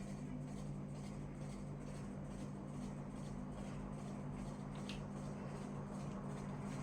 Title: Ceiling fan KDK KY153 Noisy Tower sound Ohio omg 2003 first iteration